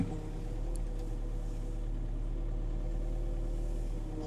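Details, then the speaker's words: 1998 Ponsse S10 forwarder with Kesla loader, after adjusting the extension boom controls: even low diesel hum at steady pitch, no rattles, squeals or hunting; loader moves firmly and precisely, normal hydraulic loader operation. "Ihan mukavahan tämä. Siis mun mielestä on hyvä kuorma niinku liikkeelle. On tosi hyvä ja aika jämpti."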